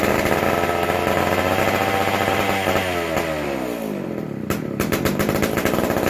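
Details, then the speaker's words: McCulloch Super Pro 125c chainsaw, first fire after cleaning, intake boot and modded new old stock muffler: runs ragged, pitch sags and it dies with a few clicks; non-adjustable carb, acting like it isn't getting enough fuel. "Runs, but you can't adjust her, and it's acting like it ain't getting enough fuel, unfortunately."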